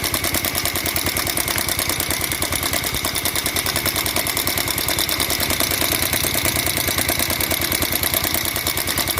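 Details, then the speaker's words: Bajaj Pulsar 150cc on its stand at idle: sharp, fast metallic ticking about three a second from the top end; mechanic rules out bearing, piston and rocker; tightening the cam chain tensioner made no change, so it will be removed to inspect. "আপনাদেরকে আমি উপর থেকে আমি এই আওয়াজটা মেরে দেখাবো যে এই আওয়াজটা, খটখট আওয়াজটা মনে হচ্ছে কেরিংয়ের, পিস্টনের, রকারের, কোনো কিছু না, ঠিক আছে।"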